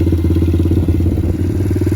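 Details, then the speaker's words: Pit Pro pit bike, 90cc GPX semi-auto engine, new Amazon carburetor, started in a couple kicks: quick even putt-putt at steady idle with low exhaust thump, no misses; normal idle, maybe a hair high. "Amazon carburetor, started in a couple kicks. Sounds like it's purring along pretty good."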